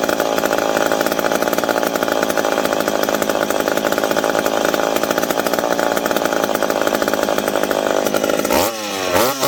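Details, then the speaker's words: McCulloch PM700 two-stroke chainsaw, newly ported and on first run, not yet broken in. Strong, steady high-revving note holds evenly through the cut and drops off only at the end. Normal chainsaw cutting. "so well there we go now we got to do is run it a little bit and break it in which that's always the fun part"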